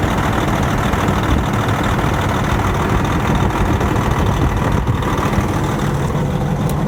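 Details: Detroit Series 60 diesel, crank-no-start, injector number two shorted and pulling the other injectors' circuit to ground, now unplugged: rough uneven idle with one cylinder dead; shorted fuel injector.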